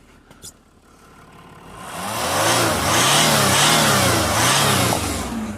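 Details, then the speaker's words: Jaguar XF 3.0 TDV6 diesel that had limp mode and power loss, after re-clipping a loose intercooler intake connection: the engine revs strongly and smoothly with even pulls and no hiss of escaping boost. Boost leak fixed; normal revving. "and the engine sounds much better we've not got no boost leak there now"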